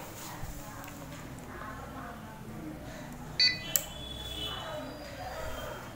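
A quiet room, then one short high beep and a sharp click as the UPS powers up and runs its normal self-test.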